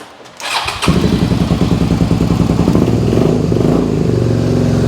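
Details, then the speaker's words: 2001 Suzuki SV650S during charging-system diagnosis, cold start on choke at about 3,000 rpm: uneven, lumpy beat at roughly three pulses a second; almost sounds like running on one cylinder, cause unconfirmed; charging reads 13–14 V. "almost sounds like it's running on one cylinder but anyways let's see what we got going on"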